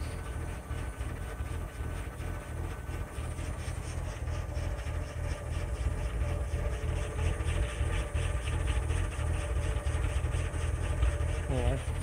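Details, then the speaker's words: 2000 Lincoln LS V6, warm start, catalytic converters removed (straight pipe), TPS reading 16.9% at idle. Deep, loping idle that shakes the car and sounds like a performance cam rather than a misfire. Cause unconfirmed. "I wouldn't exactly call that a misfire because it doesn't sound like a misfire. It sounds like a performance cam almost."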